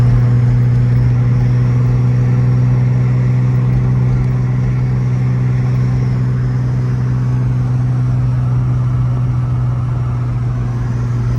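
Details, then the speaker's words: VR6 engine on its maiden drive after swapping in an AAA VR6 bottom end: smooth, even low drone at steady cruise with no tapping or knocks; sounds healthy. "The engine sounds good. Everything's running good."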